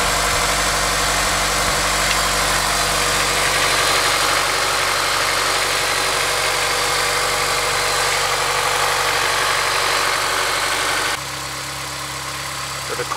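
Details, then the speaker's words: Honda S2000 after timing chain tensioner replaced, previously ticking: smooth even idle, steady low hum, ticking gone; normal idle. "up sounds a lot quieter I don't really hear any of the ticking noise anymore"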